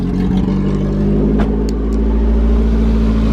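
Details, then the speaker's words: Freshly wrapped Toyota AE86, started and revved: clean rise in revs with a steady, even note, no misses or stumbles; smooth and responsive, though it still idles a little high, idle screw to be adjusted. "Super smooth. Super responsive. This thing drives like a dream now."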